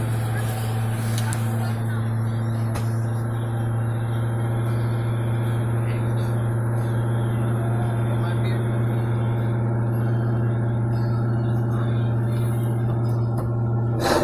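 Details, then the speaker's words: 4.6 V8 Mustang GT, hot, after installing a 5-speed ECU, replacing vacuum lines and adding a breather to fix a leak: steady idle ticking like a sewing machine, no misses; normal hot idle. "You hear it ticking like a sewing machine. Nothing's missing here."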